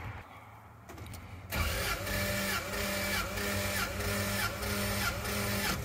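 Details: 1997 Lexus LX450 (Toyota Land Cruiser 80-series) 1FZ-FE six-cylinder compression test, gauge on cylinder one, plugs out: starter cranks at an even beat, three to four pulses a second, every stroke matching; compression healthy and very consistent across all cylinders.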